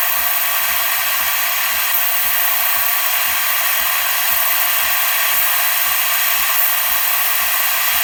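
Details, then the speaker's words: Breville espresso machine after OPV adjustment for a no-pressure fault, steam wand test: water purges first, then strong steady steam hiss over a fast pump pulse about four beats a second as steam pressure builds; normal operation after service. "It's going to purge water first, and then steam will follow. You can hear the pump kicking on now, so the steam pressure will now increase."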